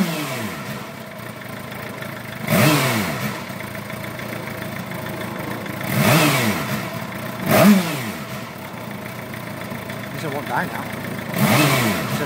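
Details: 2008 Suzuki GSX-R750 after sitting an hour following a 2.5-hour ride, reading about 131°: uneven, lumpy hot idle kept alive only by repeated throttle blips, revs rising and falling; rough idle, cause unknown, smoothed out after about 4 minutes.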